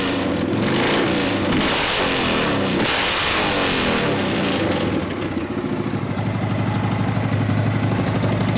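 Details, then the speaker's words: 1999 80ci Evo V-twin, after rejetting (low-speed jet 29.5, idle mixture about 2 turns): loud blips rise and fall cleanly, settling to lumpy steady idle; takes throttle better, not too rich on top end; normal revving. "Taking the throttle a little bit better, sound a little more healthy. Taking full throttle so we're not too fat on the top end. Sounds good."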